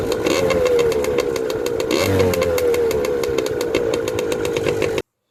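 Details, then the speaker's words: 1993 Yamaha PW80 two-stroke dirt bike after fixing carburetor leaking from overflow line, bowl and float cleaned: crisp steady buzz, even firing, brief rev midway; normal running. "Put it back on the way you took it off, your dirt bike, and start it up, and it should be fine."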